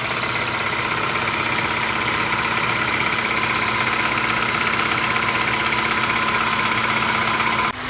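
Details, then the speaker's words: 2012 Ford Escape 2.5L, fully warmed up, with low coolant: steady idle with a sharp even tapping about four times a second, worse when hot, coming from between cylinders two and three; cracked cylinder block, easily misdiagnosed as valvetrain noise. "you can probably hear it best now it's fully heated up and it's very distinctive noise and it's coming from right around this area so that's between two and three"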